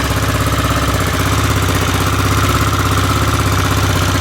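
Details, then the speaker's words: Aprilia Pegaso with cleaned carbs and new carb inlet rubbers, warm and getting hot, idling as a single with a steady, even low thump and no ticks or knocks; runs as it should. "so it sounds pretty good sounds like it runs as it should I'm quite happy with that"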